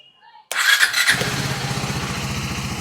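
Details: KTM Duke 390 with an electric self-start problem, cause unknown (owner unsure whether it is the battery), shown with a workaround found on YouTube: quiet, then a short crank catches into a steady thumping idle near four beats a second.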